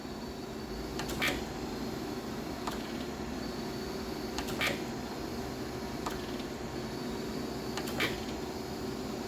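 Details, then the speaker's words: Willis 818-3A surface grinder after automatic downfeed cycle completes: low steady hum with soft swish and click about every 3.5 seconds as table reverses; normal spark-out operation, continues until operator stops it. "now the operator can let it uh just spark out here as many times he want this is as long it'll go on pretty much forever so the operator will have to stop this"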